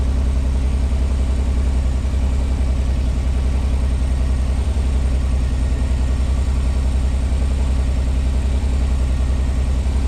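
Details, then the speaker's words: 1986 Pontiac Fiero SE V6, cold, tach reading 1,220 RPM: fast, steady idle with an even deep drone, slowly starting to come down as it warms; idle too high, vacuum leak, idle control or sensor cause suspected. "I'd say this is all right. She's idling at 1,220 RPM. And it sounds like it."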